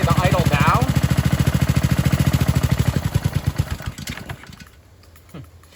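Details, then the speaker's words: Ryobi 2015 pressure washer with Honda GCV190 engine: on releasing the trigger the idle-down pulls the throttle back and the engine slows, fades and stalls; idle-down cable fixed by adjustment and lubrication. "and what will happen is if i release the trigger uh it'll just go all the way and shut off so give me see how it dies"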